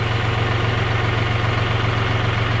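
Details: John Deere 5065E diesel tractor just after fitting a replacement starter: even, steady diesel idle with a smooth low throb and no knocks or misses; running healthy.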